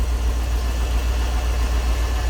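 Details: EFI Ford 460 V8 tow truck just after upgrading from a 2G to a higher-output 3G alternator: a deep, even idle with a steady low beat and no knocks, ticks or whine, and the new alternator working.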